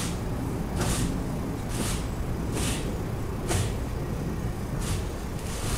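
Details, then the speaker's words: Peugeot Bipper, engine off, steering turned left and right with attention on the front right side: dull knocks about once a second as the wheel swings, pointing to front-right steering or suspension play. "تو عملت لكم دورة الدركسيون يمين وشمال في الجهة الشمال، تو ركزوا على الجهة اليمين."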